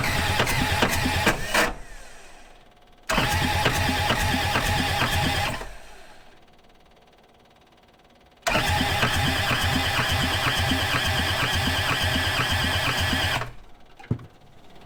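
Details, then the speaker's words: Old abused skid steer diesel, cold snowy day, cranked on 24 volts with a jumper pack: two long bursts of fast, even starter churning, spins freely but never catches, little smoke; crank no start, owner suspects clogged injectors. "i still don't think we're getting fuel down through the injectors and we've got fuel to the injectors but i think that the injectors themselves are still kind of stopped up"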